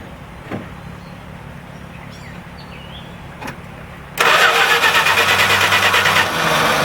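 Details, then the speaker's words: Edelbrock-carbed engine, long-stored on stale E10 ethanol gas, after cleaning the clogged primary side on the engine and setting the idle screws 2.5 turns out: it idles quietly with slight roughness and no more banging, better than before. "a little bit of rough idling but that's better than it was it's darling quietly not banging anymore"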